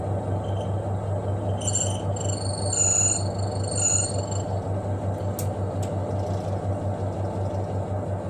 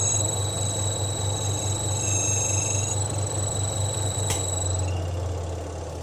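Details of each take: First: Twin-tub washing machine spin dryer after the shaft bolts joining the spin shaft to the tub were tightened to cure its squeak: a steady low hum with an even spin rhythm and a few light taps, no squeak; normal. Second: Twin-tub washing machine spin dryer while rinsing: rhythmic low thumping about four times a second under thin, high squeaking that worsens with heavy loads. The cause is a loose bolt on the shaft, fixed by tightening it.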